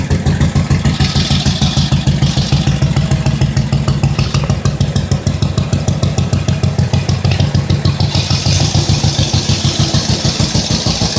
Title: firing up the 1945 Indian Chief after rebuild